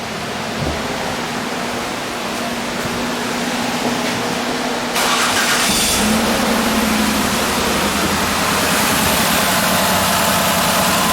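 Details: 2005 Ford Escape 3.0L, code P0354 plus ignition coil primary/secondary circuit fault codes, constant misfire despite new plugs and coils: steady idle with an uneven stumbling pulse, one cylinder dropping out; dead coil from a failed engine computer driver.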